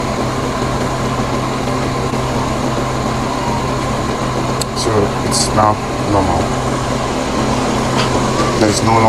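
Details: 2015 Mercedes-Benz GLK with a complaint that the cooling fan blows too high. Engine running with the AC on: a moderate, steady fan rush with no surge to high speed, so the fan is running normally.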